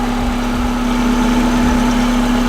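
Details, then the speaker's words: Volkswagen Vanagon transporter with Subaru EJ20 engine swap; steady, even idle just over 1,000 rpm, smooth low hum with no knocks, misses or ticks; normal idle. "Okay, so I think we're idling at about 1200 now. Yeah, just over 1,000. Sounds really good."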